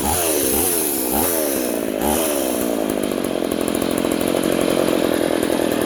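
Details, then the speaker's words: Poulan 3400 / Craftsman 3.4 vintage chainsaw after the carburetor metering (needle) lever was lowered: uneven revs settle into a steady, even high scream with no bogging. Before the fix it smoked, loaded up, bogged when warm and died. "wow there that's better before it was smoking and loading up and and then once it warmed up it was like completely bogged down and then it would just die"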